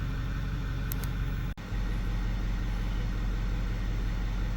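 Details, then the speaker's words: 2008 Ford F350 6.4 diesel after alternator replacement, running a while and through function, actuator, alternator and module tests; deep, steady even rumble with no knocks or squeals, everything fine. "everything seems to be fine we've been running for a little while and I've taken this through several function tests actuators alternator test a bunch of module tests"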